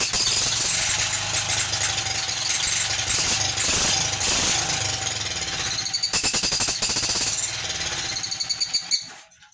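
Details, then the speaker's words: 1947 Whizzer Model H single-cylinder engine, freshly revived and revving: sharp squeaky chirping puff each firing stroke, loudest on revs; it comes from a leaking head gasket, because an incorrect copper gasket from an NE5 reproduction Whizzer is fitted. "And also in that video, you probably heard the kind of squeaky, like chirping noise. That was because the head gasket I have on it is actually from an NE5 reproduction Whizzer. And it's not correct."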